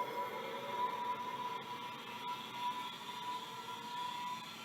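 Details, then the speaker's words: Micropolis 1325 hard drive spin test: steady thin whine from spinning platters with no seek clicks, then spins down; drive does not seek because its rubber bumpers are shot. "well it's still spinning so if it's like other micropolis maybe this one actually started work nope there it goes it spun down so no it did not do it seek"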